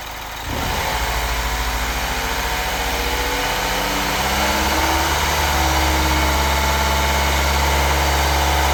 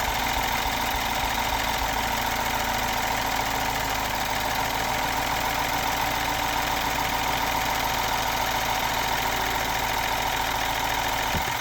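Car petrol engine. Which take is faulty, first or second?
second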